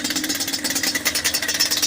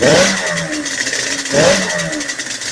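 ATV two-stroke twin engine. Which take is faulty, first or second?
second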